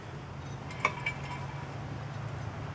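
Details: 2003 Honda Element front hub spun by hand with the ball joint removed, while chasing a vibration on acceleration: quiet, even low hum with only a couple of light clinks from handling; wheel bearing sounds smooth.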